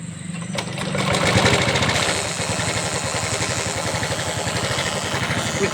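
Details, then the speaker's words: Excel 100 BS6 moped, after fuse-blowing short fixed with tape: rough engine with fast rattling trrr buzz from fuel pump; cause is cut sensor wire or sensor not working properly. "ఈ ట్రుర్రమని sound common point ఏంటంటే ఇక్కడ మనకి ఈ wire అనేది, ఈ sensor wire అనేది cut అయిపోయింది."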